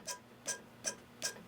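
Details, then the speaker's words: Aqua-Flo hot tub pump motor rear bearing, removed and flicked by hand: short, dry rasping bursts about two and a half times a second. The bearing stops instead of spinning freely, so it is bad and is being replaced. "bearing is bad. It should spin. And it's stopping."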